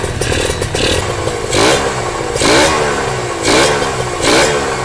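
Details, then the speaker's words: Kawasaki ZX150 two-stroke (orange) first start, power valve and cover just fitted, no exhaust, no coolant yet: crisp, light, free-revving bark with sharp throttle blips about once a second, no knock or rattle; healthy engine. "Tapi kalau kita dengar dia punya bunyi enjin ni kan, enjin dia ringan lah."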